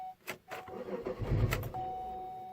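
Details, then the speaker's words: Chevrolet Malibu with check engine light, emissions issue, suspected knock and crankshaft position sensor faults, after code erase: uneven prolonged cranking before it catches and runs steady; reported hard-starting problem. "oh come on we're not even getting a start there she goes Wow my hard start huh"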